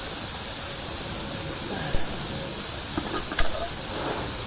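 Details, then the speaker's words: Truck tire, still on the vehicle, with a screw puncture that triggered the low-pressure light; hole drilled before plugging. Steady hollow hiss of air leaking with no engine running. "Y'all can hear the tire leaking."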